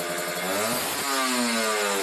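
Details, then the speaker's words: Kawasaki Ninja RR two-stroke, Mikuni 28 carburetor air screw set to 2.5 turns: brief dip, then a clean, crisp, even buzz with no stumbling; normal and most responsive setting. "itu udah normal ya dua setengah putaran sudah paling enak dan responsif"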